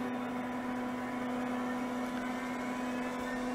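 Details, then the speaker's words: 1980s CDC Finch 8-inch hard drive powered on for seek and read tests: spindle spins up with a steady clean hum, no grinding, bearings smooth; heads then failed to self-seek. "doesn't sound bad that's good sounds like the bearings are nice and smooth"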